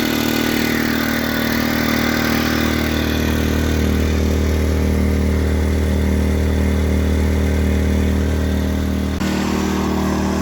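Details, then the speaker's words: New Predator 2000 inverter generator, first start with a little fuel: steady even hum at constant pitch, moderately quiet, no surging or knocking; running smoothly. "there it is not very quiet not very loud that's pretty nice"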